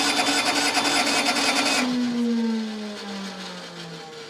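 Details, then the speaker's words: Case 1835C skid loader diesel with broken piston rings, 12 V glow plugs cycled 20–30 s and 24 V on two new batteries: starter whine drags down in pitch, engine turns slowly, never fires; starter giving up. "That is the sound of 2 new batteries that I just put in it. That's my starter giving up."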